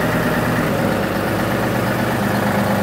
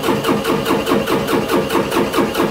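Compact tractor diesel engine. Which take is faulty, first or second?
second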